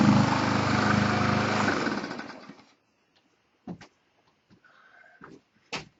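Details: Push mower that would only start on starting fluid, after repairs: engine fires and runs evenly for about two seconds with a steady beat before winding down; it runs normally.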